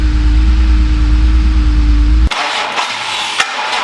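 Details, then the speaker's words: BMW E36 M3 S52, unregistered since 2018 and long stored, first start attempt in park after charging the battery: cranks, catches quickly and settles to an even idle with no knock or misfire, and almost no warning lights. "wow holy thing started right up"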